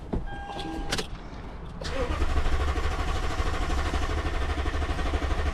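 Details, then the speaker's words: 2012 Toyota Tundra on a booster, full fuel gauge, key light normal: starter cranks hard and steady with even chugging for several seconds but never catches; crank no-start, no fuel suspected, unconfirmed. "All right. So, it definitely cranks hard."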